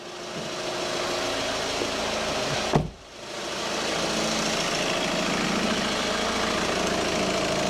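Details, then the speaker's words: 2011 Kia Sportage 2.0 CRDi diesel, first start after fuel filter change: steady, even diesel clatter at idle with a brief dip, settling to smooth tickover, no leaks. Normal diesel idle. "right so everything's back together we're just going to jump in and fire it up make sure it ticks over okay might take a little bit more cranking over than normal actually that wasn't too"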